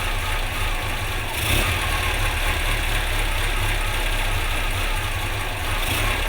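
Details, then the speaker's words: Rally car with SU carb, ignition timing just reset to about 30 degrees advance; thin, uneven, slightly lumpy idle with no rev change; mixture leaned out too far and needs richening. "I leaned it out quite a bit, so I'm going to bother it until I give it some more richness."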